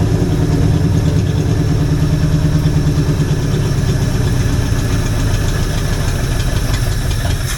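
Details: Old Jeep (FSJ/SJ Cherokee) engine with a cheap Chinese carburetor due for replacement: loud, low, uneven idle that wavers; overall sounds decent, with a possible miss the owner thinks may be from a clipped wire. No smoke seen.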